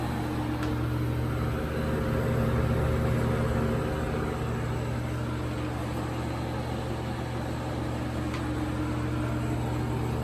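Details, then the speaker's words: 1980s Super dehumidifier with R-12 refrigerant, final test after fan motor replacement, grille and bucket fitted: steady low hum under even rush of fan air, no knocks or rattles; moving lots of air, running normally. "so here is the final test for this video here it goes [Music] oh yeah that's moving a lot of air"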